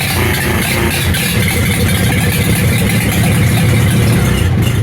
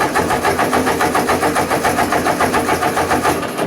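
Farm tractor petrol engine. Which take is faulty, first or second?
second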